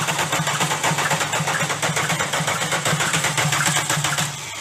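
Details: Rod knock on a diesel VW Golf: sharp metallic knocking repeating over diesel clatter at idle, steady with engine speed; connecting rod bearing shells worn/damaged.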